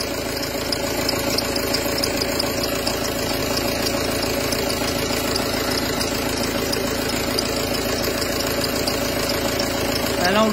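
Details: Peugeot Partner 2.0 HDi 90 diesel at idle: a fast, uneven rattling knock and faint scraping or grinding from the belt drive, caused by a worn, misaligned accessory belt tensioner pulley; the assembly is to be replaced.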